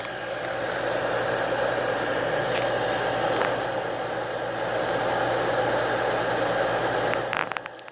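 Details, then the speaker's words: Hardy H2 outdoor wood heater, newly replaced damper blower fan motor after the old one locked up: steady, even hum with airflow rush, no grinding or squeal; bearings quiet, fan healthy. "smoke's starting to blow that one sounds so much better than the previous one the bearings are quiet"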